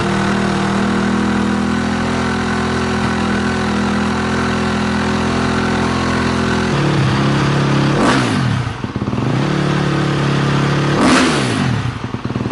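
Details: KTM 250 SX-F dirt bike first start after rewiring: fires up, settles into steady idle, two clean throttle blips and smooth return; normal start and idle.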